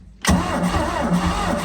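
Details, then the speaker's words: Rinker V170 boat engine started after long storage, choke opening, a little throttle, in neutral; catches abruptly and settles into an uneven, lumpy low rumble with wavering pulses, a rough start that didn't sound good. "give her a little gas put her in neutral and then uh let's see what we got here oh that didn't sound good"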